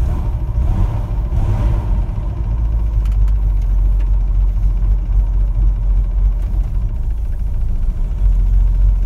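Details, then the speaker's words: 1961 Chevrolet Corvair Lakewood on test drive after FAST XR 700 electronic ignition fixed no-spark issue: even steady low rumble while cruising, no surging or sputtering; starts fine, idles okay in park, runs smoothly. "well i think that sounds good starts fine idle's okay in park and as i'm cruising there's no surging or sputtering it's all nice and smooth"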